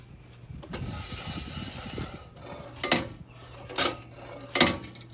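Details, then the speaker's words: RV travel trailer wheel hub spun by hand during a bearing check: irregular sharp clicks and clunks about every second inside the hub; the brake assembly has come apart inside, possibly the brake pads have fallen off. "But y'all hear that racket in there? I'm gonna have to take this one apart because it sounds like maybe the brake pads or something's. Hear that clicking and a clucking in there?"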